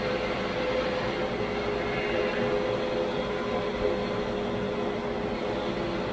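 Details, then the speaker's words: 1985 Grizzly G1021 15-inch planer, 2HP motor, after upgrading to a V-helical cutterhead, feeding a board: an even, steady hum and light whir that doesn't rise during the cut, so it cuts quietly. "my my goodness this this the noise didn't increase at all let's take a bigger cut that is amazing"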